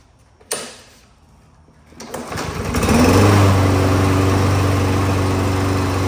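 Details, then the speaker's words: Briggs & Stratton mower engine after straightening its bent crankshaft and fitting a new blade; it had been vibrating badly. Pull-start catches within seconds and settles into an even, steady drone with no shake: normal running, vibration fixed. "all righty guys hey we got that crank shaft straightened up pretty good on that little Briggs motor"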